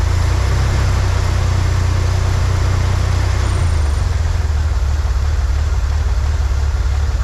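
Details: 1963 Corvair flat-six after vacuum leak fixed, new PCV valve, fuel mixture adjusted: smooth low even rumble, no stumbles, a touch fast; "that's the sweet spot," idle still a little high. Normal idle.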